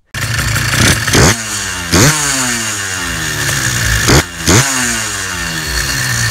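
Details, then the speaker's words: Small two-stroke engine. Crisp blips rise and fall cleanly, snapping up and dropping back to a steady idle; a clean, well-tuned engine. "the two-strokes are just they're more fun and who doesn't like the sound of a well-tuned two-stroke i mean really"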